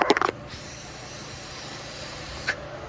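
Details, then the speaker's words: 2012 Chevrolet Cruze turbo EVAP one-way check valve, removed and blown through in reverse, code P0171: a steady, airy hiss as air escapes backward, causing a vacuum leak and a lean condition. "And you can hear air escaping, causing that vacuum leak. And for the system to lean, sucking in too much air."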